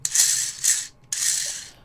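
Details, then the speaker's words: 3D-printed antenna rotator axle bearing, proof of concept, spun by hand: dry, hissy rattling bursts fading as it slows; lots of play left, including up-and-down play, so the loose rollers rattle. "So, uh there's lots of play in it, which I'm not that fussed about. Uh there's up and down play."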